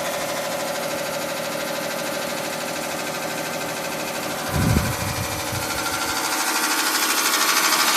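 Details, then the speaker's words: 1986 Carrier Siesta 6100 BTU window air conditioner running and blowing cold: fast rattling scrape about three times a second with a thump, like a lawnmower; fan blade rubbing its shroud because the rusted lower radiator mount broke off. "it sounds like there's something caught inside of it it is blowing cold air all right sounds like a lawnmower"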